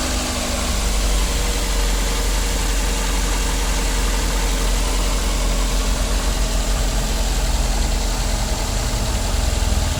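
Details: 2009 Daihatsu Gran Max after fitting a new idler pulley assembly: steady even idle drone with no squeal, rumble or chirp from the belt side; runs smooth and healthy.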